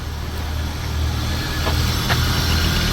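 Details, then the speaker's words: BMW 523i E39 at idle: a low, uneven, lumpy pulse about three or four beats a second and the engine visibly shakes. A faulty air mass (MAF) sensor is suspected and is to be replaced. "อาการตอนนี้นะเดี๋ยวให้น้องสตาร์ทให้ดูนะครับอาการตอนนี้อ่าลองสตาร์ทก่อนตอนนี้นะครับอาการเนี่ยเครื่องสั่นจะเห็นว่าสั่นนะครับเดี๋ยวไปดูข้างหน้า"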